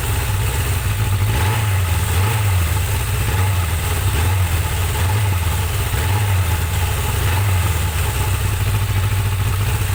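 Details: Suzuki GSX-R 750 "slabbie" motorcycle after repair work, float bowls drained, fresh super unleaded with Silkolene Pro Boost, already ridden: steady, even low burble at idle with no knocks or misfires.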